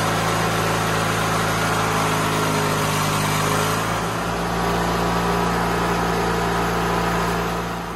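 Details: White LT1650 hydro riding mower, Briggs & Stratton twin, after intake change and throttle cable move, held at fast governed speed around 3500 rpm; steady even drone, no misses or knocks; normal running.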